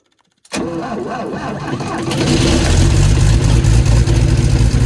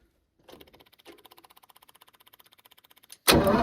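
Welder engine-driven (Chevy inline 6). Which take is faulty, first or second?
second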